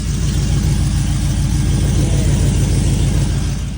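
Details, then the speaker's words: 2004 Chevy Silverado V8 after long-tube header install: loud, uneven puffing rattle at idle from exhaust leaks at the header. "I know you can hear all the exhaust leaks, especially [Music]"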